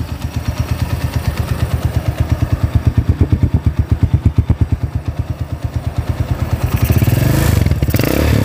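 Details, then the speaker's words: Freshly rebuilt Honda GL-type single-cylinder motorcycle engine: an even putt at idle, then a gentle rev with no clatter or misfire; very smooth, but not yet revved hard because the connecting rod is new. "Oke kalau untuk suaranya alus lah ya halus banget nah"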